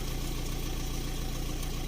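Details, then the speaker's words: VW Touran 1.9 BLS diesel, which had been intermittently misfiring and smoking, cold start at 13.5 °C after the injector work: it starts at once and settles into an even idle with regular firing and no knock or miss. "завелась півтику все чітко"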